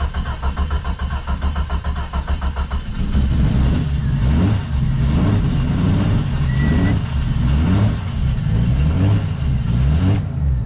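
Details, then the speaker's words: Jeep Cherokee XJ revived on a jump pack; engine catches and runs with an uneven, lumpy idle only while the key is held, dying as soon as it is released; ignition switch fault. "soon as you let it go it dies"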